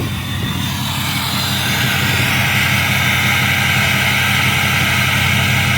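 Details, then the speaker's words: Diesel pickup (6.0) idling after an oil change and fuel filter replacement: steady, even idle with a strong airy whoosh on top and less clatter up top; normal diesel idle, much improved over before. "[Music] And it's not as clackety up here. It just sounds like an idling 6o."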